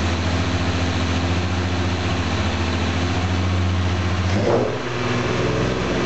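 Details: Jaguar E-type independent rear suspension on a test rig out of the body shell, engine running in first gear driving the IRS; steady even drivetrain hum, no metal-to-metal grinding or knocking; normal differential and drive shaft operation, to be retested once refitted.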